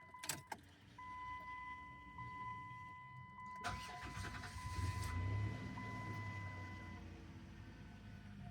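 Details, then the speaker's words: 2006 Dodge Grand Caravan 3.8 V6 after replacing the ignition coil pack for a cylinder 5 misfire. A short crank catches and settles into an even, steady idle with no stumble or miss; it is smooth, with no misfire after the repair. "Look at that. Smooth as glass."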